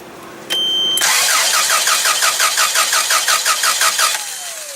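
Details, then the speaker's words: Toyota 7FG U25 forklift no-start: starter cranks steadily, about three pulses a second, engine never fires; after tapping solenoid, a click heard; owner suspects faulty fuel solenoid, unconfirmed. "Nothing. I even hear a click coming from that solenoid."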